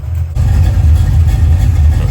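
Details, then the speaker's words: 1990 Ford Mustang GT Fox Body, built 306ci, new FST RT Plus 4-barrel carburetor, warm, idle raised slightly: deep, steady V8 rumble with even pulses and no misses or ticks; clean, smooth idle. "All right, guys, got her idled up a little bit more, and it seems to be hitting even harder now, but it's idled up a little bit more. But this thing is just running smooth."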